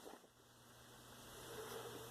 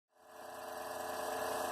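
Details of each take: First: Replacement be quiet! CPU heatsink fan in a roughly 10-year-old PC (BIOS from 2007), after the old fan made a loud constant noise and the heatsink was cleaned of dust: soft, even, whisper-quiet hiss with faint hum. CPU now 39–40 °C, down from about 50 °C. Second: Noisy CPU heatsink fan in a roughly 10-year-old PC that also has a case fan and power supply fan: loud, rough, constant whirring drone rising from silence and holding steady, from the worn CPU cooler fan.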